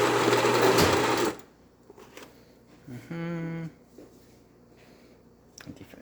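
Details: Baratza Virtuoso burr grinder after repair with a replaced burr and casing: it grinds with a steady, even whirr for about a second, then stops cleanly. Normal operation, producing fine powder.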